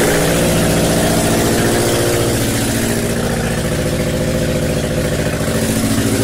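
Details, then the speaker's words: First start after a blown head gasket repair: a loud but steady idle with an even firing beat and no misses or knocks. No oil light and nothing leaking, so the engine is running normally. "no oil lights nothing running down I think it's good"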